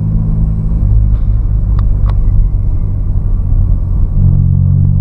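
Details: Nissan Sentra B14 driving after the crushed front-left shock mounting, which had creaked on every bounce, was replaced: even road rumble with no creaks or clunks over bumps. Front suspension now quiet.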